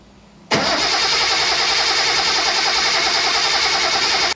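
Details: 1973 Datsun 240Z after dash restomod, aftermarket fuel pump temporarily jumped to ignition power for testing: engine catches at once and settles into a steady, even run with no misses or knocks; a clean, healthy start.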